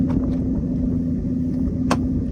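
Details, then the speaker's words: 2003 Ford Excursion with the V10 Triton at idle: an uneven, stumbling beat with occasional loose pops over the drone. The engine is misfiring badly. "Sounds good though. Captain style seat. She's a hauler, the guy. She's misfiring bad."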